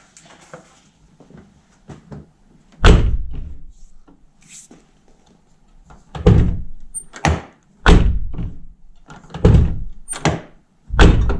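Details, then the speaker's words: 2009 Nissan R35 GT-R driver's door, after wedging a loose piece near the lock area behind the door card: several shuts, each a solid dull thud dying away cleanly with no buzz or rattle; rattle fixed. "Now, sounds much better. That has fixed it."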